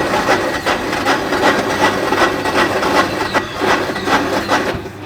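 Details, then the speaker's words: Salvaged Kawasaki Mule side-by-side, choke partly pulled: steady cranking at about two to three turns a second with faint attempts to fire that never catch. Engine isn't seized and turns over; cranks but won't start, stale fuel suspected. "Well, I hear it wanting to, but there's a good chance this gas is so bad it won't go."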